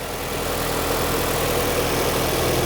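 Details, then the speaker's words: 2003 Nissan 2.5L engine after timing chain and water pump replacement and reassembly: steady, even idle hum with no misses, shaking, knocks or ticking noise; normal healthy idle. "That's how it's supposed to sound. Feel way better about that. Way better. That sounds good. Look how smooth that is. No shaking, no nothing. It's solid."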